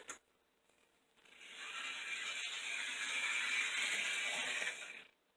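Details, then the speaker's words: Old model locomotive (060) motor after oiling the bottom bearing and refitting the shell: even, steady high whir with no grinding or rattle; quieter in forward motion, repair successful. "he sounds a lot quieter when he goes in forward motion"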